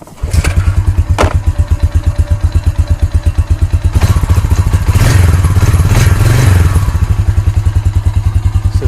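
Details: 2006 Honda Rancher TRX350 ES ATV, started with the manual pull start: it catches on the first pull and settles into a steady thumping idle about two beats a second, with a brief rev, running well.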